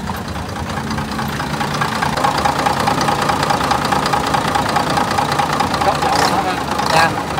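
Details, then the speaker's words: Hyundai 6D22 diesel in a 47-seat bus, heard from the rear seats after a repair the owner waited over a month for: steady, even diesel rumble with no knock or misfire; normal clean idle. "Bây giờ thì mình sẽ mời mọi người đi ra hàng ghế cuối cùng để xem cái tiếng máy góc"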